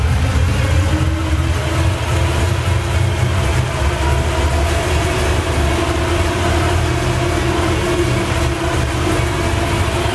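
Deep, heavy idle with an uneven low rumble and no clean beat, loping slightly; the engine is idling rough.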